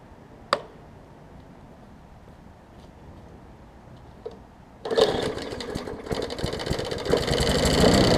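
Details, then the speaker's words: 2014 Bolens push mower with Briggs OHV engine after repair: correct spark plug fitted and missing carburettor jet ball plug replaced; quiet, then fires and settles into a steady even clean rhythm; normal healthy running. "sounds good we'll let it run for maybe 10 minutes or so i'll top it off with oil"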